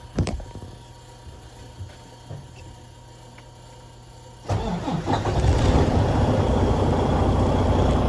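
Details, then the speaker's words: Detroit DD15 diesel after fuel pump replacement and priming, following metal shavings in the fuel system: short crank, catches immediately and settles into a steady even idle with no knocks or misfires; LPPO, compensation and rail pressures all good. "you guys can hear start it up right away lppo fuel pressure fuel compensation pressure everything's good rail pressure everything's good"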